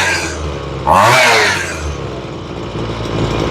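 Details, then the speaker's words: Ryobi two-stroke weed eater after carburetor and fuel line replacement, tuning the low side at idle: crisp pickup on a throttle blip, then a steady even idle; carb sounds properly set, normal running. "it's pretty normal when you first start working on them that sounds pretty good"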